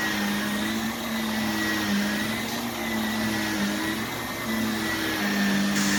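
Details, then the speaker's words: Brand-new Shark vacuum: harsh, rough motor drone with a thin wavering high whine; motor sounds awful for a new machine, flimsy-feeling switch, yet good suction and has suction control. "that switch feels like crap then that Motors and that motor sounds awful and this thing is brand new so that's pretty pathetic"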